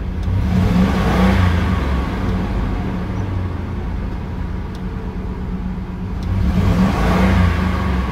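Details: Ford Expedition after replacing a leaking fuel pressure regulator valve (fuel drawn into intake vacuum, causing hard start, rough idle, black smoke) and new spark plugs: engine revs up smoothly on each blip and settles cleanly; normal start and rev.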